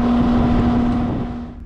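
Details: Residential outdoor AC unit after fixing compressor and condenser fan that hummed without starting (capacitor issue): steady rushing fan air over even low hum, pressures normalizing, running normally.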